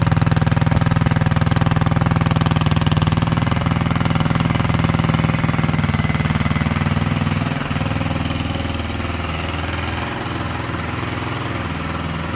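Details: Tomberlin Crossfire 150R buggy at its first start after restoration, with a new coil, a JD slide throttle kit on the carb, untested jetting, the carb adjustment set at 2.5 turns, and a jump pack in place of a dead battery. It settles into a steady, even single-cylinder putter and runs cleanly.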